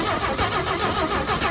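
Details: 1954 Chevy barn-find engine, long-sitting, freed up: steady even cranking churn with no knocks or grinding, turns over freely; valves moving and oil pumping to the top end, positive oil pressure, before spark check.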